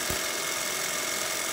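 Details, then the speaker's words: Ampro Premier 30 film projector after fixing the jerky bottom take-up: a steady, even mechanical whir with no jerks or catches, take-up feeding smoothly; sound playback still faulty. "I think I found the problem it's not jerky anymore the bottom take up really nice and smooth and it's running real good"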